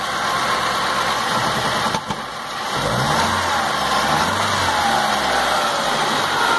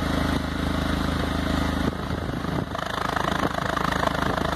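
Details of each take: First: 2006 Stratus 2.0 petrol with low power and shaking, heard at the exhaust; uneven stumbling idle beat, misfire. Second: 2006 Stratus 2.0 with a power-loss misfire, after reseating the plug wires: petrol idle now steady with an even exhaust pulse, no skips or stumbles like before.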